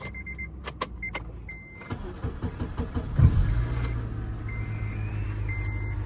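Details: 2006 Acura TSX that died while driving with no clicks and no crank: after tightening loose battery terminals, the door chimes and clicks, then a brief crank, and it fires into a smooth, steady idle with good power.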